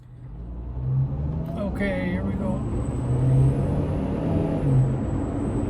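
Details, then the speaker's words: 2004 Honda CR-V EX, engine running with windows up after a new airbox and air filter were fitted: a thin, high-pitched whistle rides steadily above the engine on the intake side, and its source is still not found. "Yeah, I still hear that whistling. Hold on. Windows up. I still hear the whistling, but I have a new airbox, a new air filter."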